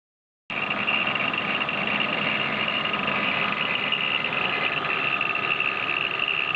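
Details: 1997 BMW E36 320iA idling around 500–700 rpm, water pump and pulleys recently replaced: steady idle with fast tinny metallic rattle about three a second; original old-style spring belt tensioner resonating, fixed by fitting newer-model tensioner.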